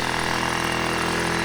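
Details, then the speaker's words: TaoTao 50cc scooter that previously wouldn't stay running, with the float bowl seeming to empty of gas; owner thinks a slightly off valve adjustment fixed it. Fast, steady buzzing idle without stumbling or dying: normal idle. "Now the problem it had before is that it wouldn't stay running and the bowl would seem to empty out of gas. But I don't think that's an issue anymore."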